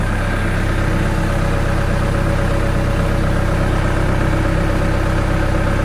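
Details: Hard-starting diesel genset, batteries around 11.8 V, after adjustment: runs at a steady, even idle with a constant low beat and no misses, knocks or hunting; healthy.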